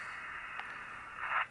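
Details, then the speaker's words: Racal Jaguar-U (BCC-72) military UHF aircraft transceiver, 1993 new old stock, on a dummy load with a military headset, at 250 MHz default right after power-up self-test: steady hiss as the squelch opens, briefly swelling; normal squelch test. "You could hear the squelch come out. There is a squelch test which will make sure that it actually works."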